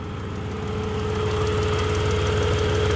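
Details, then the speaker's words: 1991 Dodge Grand Caravan SE idling warm after a drive, muffler getting louder: steady idle with faint rhythmic chirp about three per second slowly growing louder; unidentified noise, to be watched. "Van, are you dying? It got ever so slightly louder. Have to keep an eye on that."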